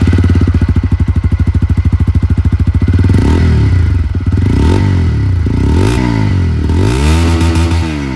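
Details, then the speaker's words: 2024 TVS Apache RTR 160 4V Dual ABS with the updated bullpup exhaust: a deep, bassy single-cylinder thump at idle, then smooth throttle blips rising and falling cleanly. Normal, healthy exhaust note. "এইবার আওয়াজটার ব্যাপারে আমি আপনাদের একটা honest opinion বলবো, 160cc সেগমেন্টটা না এটা কিন্তু অনেকটাই বেসিয়ার সাউন্ড ক্রিয়েট করে।"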